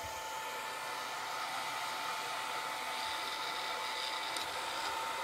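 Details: Longer Ray5 20W laser module fan: soft, steady airy hiss with almost no whine, and the fan doesn't slow. Normal fan noise.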